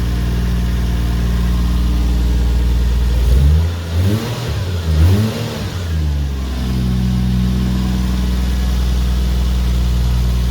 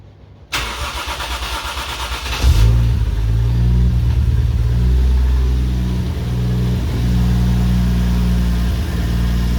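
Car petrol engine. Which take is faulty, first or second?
second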